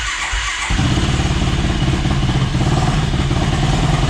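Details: Yamaha YFZ450 ATV in rough shape, first start on a stand with new fuel line and airbox off: after a brief crank the single-cylinder catches and settles into a steady, even thump with no misses; normal idle, still needs carb fine-tuning.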